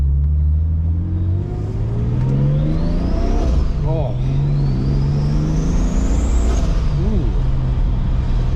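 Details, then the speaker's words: Turbo-converted BMW 733i E23 on its first drive, with the exhaust dragging: a high turbo whistle climbs under a pull at about half the available boost, then drops off when the throttle lifts; normal spool. "Ooh. Wow. You want to talk about some whistling? Woo! Now that's pretty cool. That was about half of the boost that we have available."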